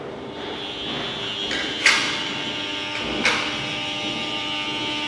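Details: KDK K14X5 fan: a steady high-pitched electrical buzz over the airflow with a couple of sharp clicks; the motor is buzzing abnormally.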